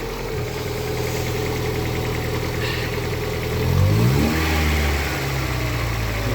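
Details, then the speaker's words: Lada Priora that had been overcharging at 16.7 V with belt squeal, boiling battery and instrument panel cutting out, after repair: steady even idle with a brief smooth rev blip, no belt squeal or whine; charging at 13.9 V and holding under light load, normal. "Все работает. Зарядка идет. Все по фэншую."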